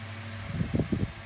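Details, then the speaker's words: 2000s Tesco DF96 9-inch desk fan on low speed with oscillation: a steady hum with a brief cluster of about four dull clicks from the oscillation mechanism, though it oscillates fine. "That's the clicking noise it makes. But it oscillates back that way perfectly fine."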